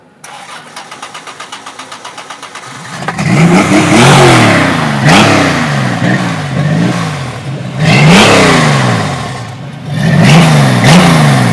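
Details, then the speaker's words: Baja 1000 street-legal dune buggy with 4.3 GM V6 and 4-speed manual VW Bus transmission: even starter cranking, clean catch, crisp revs rising and falling smoothly with no knocks or misses; healthy. "Wow, beautiful. Sounds really good. What engine is it? It's a Chevy. A V6, right?"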